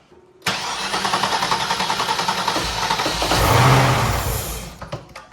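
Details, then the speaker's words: Cadillac STS-V that will not run, with a camshaft position sensor code; cranking after an injector test, the starter churns at about 3.5 beats per second with a brief ragged flare, then dies. Suspected injector fault, maybe firing on only about 3 cylinders. "That's why we're getting a few little sputters when you try to crank it over. Yeah. Because it's trying to fire on like 3 cylinders that are working."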